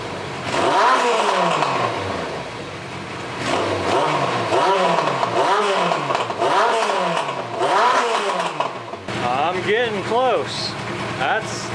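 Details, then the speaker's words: Suzuki GS850, warm, carbs synchronized and pilot screws adjusted: idle just above 1000 rpm with repeated crisp blips and no stumble, hardly any lifter noise; normal idle and revving. "idle in just above a [Music] th000 sounds really good I hardly hear any kind of lifter noise or anything out of the engine the throttle response is crisp"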